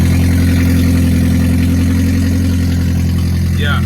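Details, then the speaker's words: Toyota Prius with its catalytic converter stolen, cut out of the exhaust, started and idling, heard with the window down: steady, loud droning rumble with a hollow, unmuffled bark; exhaust roar from the missing catalytic converter. "that's the unfortunate noise of a stolen catalytic converter on a Prius."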